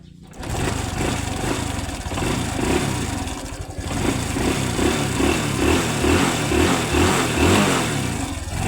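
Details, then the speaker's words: Honda Wave 110i small single running and blipped, cylinder block has a hole: light, fast metallic chatter over the exhaust beat, mechanic suspects slack cam/timing chain, cover to be removed to check. "นี่ครับมีเสียงโซ่นิดนึงครับไม่ดังแรงนะครับอย่าตังพอได้ยินนี่ครับอาการนี้น่าจะโซ่รอลิ้นหย่อนครับผม"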